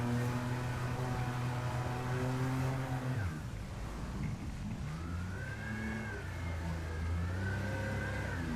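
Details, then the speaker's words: Solar 470 SJT inflatable jet boat running at speed on the river; a thin whine over the engine roar rises and falls with throttle and grows louder at speed. Owner doesn't know the cause. "Okay, you can hear that whining of my motor? Comment below if you know what that is."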